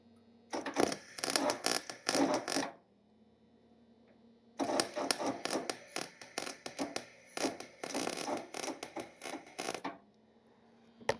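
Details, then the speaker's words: MIG welder on 1979 Corvette bodywork with new wire and wire speed turned down: short crackling arc bursts popping and spitting unevenly instead of smooth sizzle; welder sputtering though welding improved. "right, we're sputtering a little bit, but I will say the welding is better."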